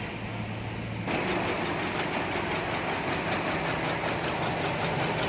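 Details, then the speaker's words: Chevrolet Cruze 1.8 with shaking engine and check engine light: an uneven, stumbling idle with irregular pulses; a misfire caused by rodent-chewed fuel injector wiring. "หน้าCruze1.8มีอาการก็คือเครื่องสั่นคะแล้วก็ไฟใช้ไฟรูปเครื่องโชว์นะครับ"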